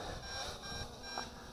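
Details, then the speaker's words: MJX Bugs 2W GPS FPV drone in flight, controller showing two battery bars: thin, high repeating electronic beeps over quiet background, the low-battery warning telling the pilot to land. "lenty of warning hear that beeping I still got two bars of battery so you get plenty of warning"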